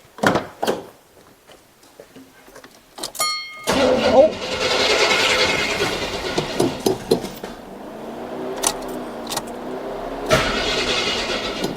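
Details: Replacement vehicle being readied while a 2016 Toyota Tundra TRD Pro is in for repair: carbureted engine primed, keys jingle then slow, uneven grinding crank for several seconds, never catches; weak crank suspected, cause unconfirmed; jump battery fetched next.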